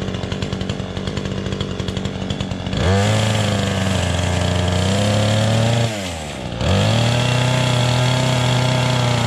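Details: Chainsaw with a loose chain revs up strong and steady, bogs slightly into the cut, then picks right back up; clean, even running under load.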